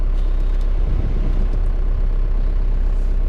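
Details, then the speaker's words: 2002 Ford Expedition with swapped 4BT Cummins diesel, freezing cold day: steady deep diesel clatter held at a raised fast idle to warm up, no misses; normal cold warm-up. "gotta set up a little high on the idol right now to warm her up today is freezing cold outside"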